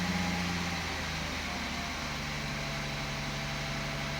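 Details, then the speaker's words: 2016 Audi Q7 3.0 TDI Euro 6 diesel held steady at fast idle after a preemptive fix, even smooth hum with no rattle; the 1500 rpm rattle heard before is gone. "at 1500 RPM there was a horrible Rattle and that's [Music] gone so the engine's running smoother already"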